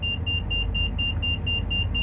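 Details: 2004 Itasca Suncruiser RV, about 90-96K miles, idling just after starting on the fourth priming cycle following a fuel filter replacement; steady low rumble with no stumbles or misses, a fast repeating chime over it; running smoothly.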